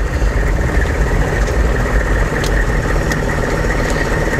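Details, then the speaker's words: 1998 AM General Hummer with 6.5L turbo-diesel, stopped and revved slowly to about 1,000 rpm: a thin, steady high whine over the low diesel rumble, tied to rpm, unaffected by steering, loudest when revs drop off the gas. "so now I'm at a stop and I'll slowly uh get it up to about 1,000 RPM and you can hear that noise again it sort of has this like kind of a whine to it"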